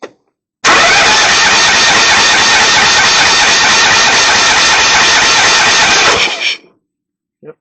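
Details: Kohler Command Pro engine on Craftsman GT5000 mower cranking after freeing a stuck intake valve with lubricant on the stem (bent pushrod found): steady, even cranking for nearly six seconds with no ticking or tap; valve train now sounds normal.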